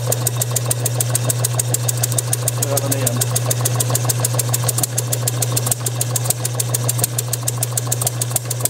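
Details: Bessemer model engine spun by an electric motor with a known-good carburetor and tank, Hall-sensor spark about 5–10° before top dead center: motor-driven spin with sharp pops about 100 a minute and some strokes missing. Fires intermittently but won't keep running; cause unconfirmed.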